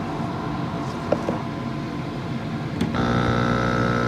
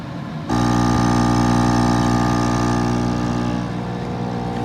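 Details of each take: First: Active Aqua air pump after securing the diaphragms with zip ties to cut vibration: after a short rattle it settles into a steady, even low hum with no clatter; quiet and healthy. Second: Active Aqua 7.8 L dual-output air pump, received used and missing a screw: loud steady electric buzz with loose internals rattling against housing from vibration; fixed by securing internals.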